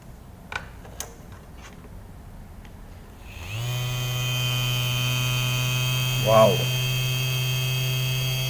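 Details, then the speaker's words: Upgraded 12 V dynamo motor rewound with reused copper wire from a washing-machine dryer motor; spins up quickly to a steady, even hum with a clean high whir, no rattles or scraping; normal running. "Oke teman-teman sekarang kita coba yang sudah kita upgrade atau punya sudah kita tambah catatan nya perhatikan dengarkan suaranya tapi"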